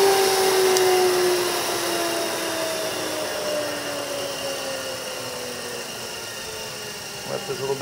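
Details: Old Toyota forklift DC series drive motor (rated 23.5 V, 2.44 kW 60-min, internal cooling fan) on 12 V, switched off: smooth even hum sliding steadily lower in pitch as it coasts down, no scraping or knocking; normal healthy coast-down.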